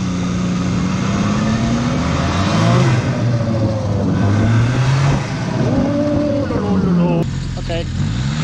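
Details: 2004 Arctic Cat Bearcat WT snowmobile, low km, after a second-hand T660 Touring fuel pump replaced the noisy one; bad fuel was the root cause. Pitch rises and drops cleanly over throttle blips with no stumble or hesitation, and it returns to idle.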